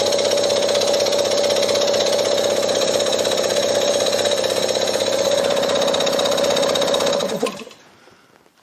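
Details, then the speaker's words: Briggs & Stratton lawnmower engine converted to an air compressor, belt-driven, first run unloaded with both sides open: fast even chatter over a steady hum, no knocks or stumbles, then winds down and stops; runs smoothly. "pretty happy with that for a first run of course it was open both sides but uh very encouraging so the compressor runs"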